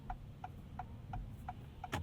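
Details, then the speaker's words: 2026 Acura MDX Type S on a rainy suburban commute, binaural in-cabin recording: sharp regular ticks about three per second over a quiet cabin hum as the rear wiper motor runs; a very noisy rear wiper motor. "Very noisy rear wiper. Listen to that."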